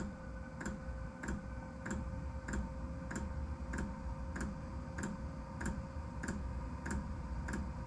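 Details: Diesel heater during its three-to-four-minute start-up cycle, pump set to 4.5 Hz (medium): crisp, regular ticks about one and a half per second over a low fan hum; normal fuel pump dosing.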